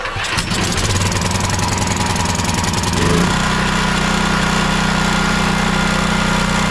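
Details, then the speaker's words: Champion 9375 dual fuel generator, choke on, after carburetor ultrasonic clean and rebuild: quick catch on pull, brief rise, then steady even governed drone; starts and runs well, fault was gummed carb or stuck solenoid. "the unit does start and run now. It runs well."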